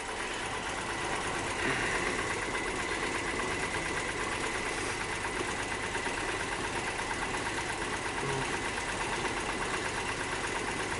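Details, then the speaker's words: 2002 Nissan Maxima with misfire codes, idling during an injector cut-out test: with number four and five disabled the idle turns lumpy with irregular stumbles and nearly stalls, so those cylinders were contributing; more than one problem possible. "so here we go number four all right two more to go number five here we go basically stalled the car up"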